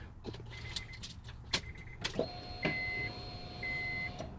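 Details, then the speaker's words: Honda, after fuel pump removed from tank and repaired for long cranks, sputtering, stalling and misfires: key turned to run, pump hums about two seconds then stops; normal prime, repeated before cranking, then fires right up. "all you're going to do is just turn the key to run and you'll hear the fuel pump come on zzzzzzzzzzzzzzzzzzz is off and then it'll turn off"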